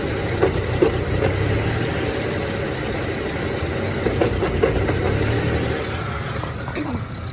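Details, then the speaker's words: BMW E90 manual, warmed up, clutch pedal released at idle: rough idle with intermittent sharp clacks in short bursts that stop when the pedal is pressed and sometimes vanish with A/C on; throwout bearing suggested but doubted, cause unconfirmed. "but it doesn't make that clacking noise when the clutch is engaged so here I go I let it out you can hear it immediately it's it intermittent though so there it goes"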